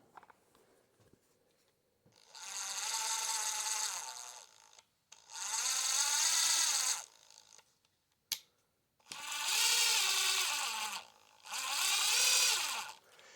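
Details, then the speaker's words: New Ridgid subcompact drill driver free-running in short bursts: harsh rattly high whir with gritty bearing chatter, mostly absent in second gear; bearing and gear issue suspected. "This is brand new. Shouldn't make that noise at all. When this is functioning correctly, and most of the time it doesn't do it in second gear. But you can also hear there's like a bearing chatter in this one."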